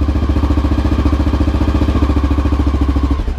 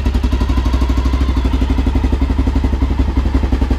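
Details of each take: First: 2000 Honda XR650L big single idling while warming up at about 40–45°F on its first start after a TM40-6 carb replaced the OEM carb; steady, even thumping with firm regular pulses, no misses or clatter; normal warm-up idle, idle still to be adjusted. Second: A 2000 Honda XR650L, on its first start after a TM40-6 carburetor install, at about 40-45°F: steady, fast starter churning of about four strokes a second, with pauses and no firing. It won't start because the fuel valve was off.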